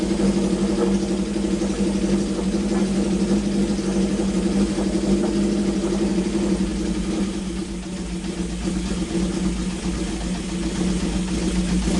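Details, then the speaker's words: Honda CB750 four-cylinder, sat around two years or more, restarted after draining excess oil to proper level: smooth steady idle hum with light blip, all four cylinders firing evenly, no big smoke, good compression; normal idle. "this is exactly what i wanted to do is just verify that it runs well it ran on all four cylinders there wasn't a huge plume of smoke you know it's got good compression"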